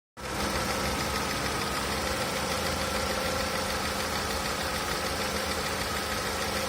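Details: 2006 Nissan X-Trail T30 engine at 1,000, 2,000 and 3,000 rpm, after a few hundred km driven on a third of the oil, often at the rev limiter: a fast, dull knock over the clatter that does not fade; cause not confirmed.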